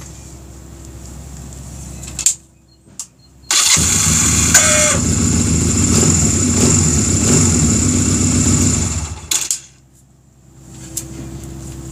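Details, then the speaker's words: Honda Rebel after stator, flywheel and one-way starter clutch install; it cranks, catches and runs briefly with a harsh mechanical rattle on start-up, cause unknown, owner suspects the starter. "still haven't figured out why it's making that that sound it sounds like [Music] i still don't i don't know what that is"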